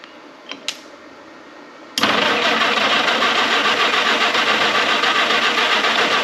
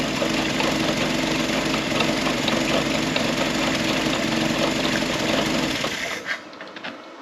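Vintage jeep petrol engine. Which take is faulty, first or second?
first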